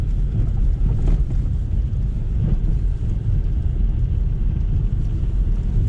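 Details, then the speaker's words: 2020 Lada Vesta SW Cross, 1.8 engine, AMT, 13,300 km, with updated SAAZ front struts, driving over broken pavement: steady road rumble and wind with only dull soft thumps and no sharp knocks. The front suspension is working normally. "ну как вы видите срабатывает подвеска глухо ударов нет"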